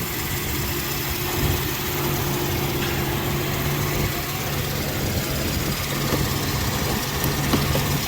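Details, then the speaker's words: Mercedes M119 V8, rebuilt, first oil change after about 3,000 miles, refilled with 8.5 quarts 5W-40: steady startup idle with a faint constant hum; good oil pressure, secondary air injection pump making noise. "Got good oil pressure. Air injection pump's making a bit of noise."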